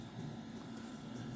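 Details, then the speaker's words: Macintosh SE internal hard drive after resoldering its broken Molex connector: spins up with a steady low whir and fast soft seek chatter while booting normally. "all right so I do hear the hard drive spin up now it's seeking yep it's booting"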